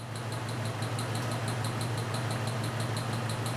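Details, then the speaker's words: 1995 Jeep at idle, diagnosed with a laptop scope after an inconclusive power balance test: regular light ticking about three times a second over a low drone. Misfire from an exhaust valve not seating, possibly debris or carbon in the seat or a worn spring. "what's causing that I have an exhaust valve that's not seating I have a little piece of junk or something in the seat either a slightly won't work worn spring or piece of carbon or something it's interfering right here on my exhaust slope"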